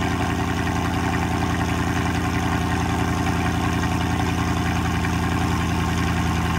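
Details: 2004 Mercedes E55 AMG supercharged V8, freshly rebuilt after an accident (new rods, pistons, rod bearings, head gaskets). Steady, even low pulsing at a fast idle after start-up, with no knocks or ticks; healthy, smooth idle.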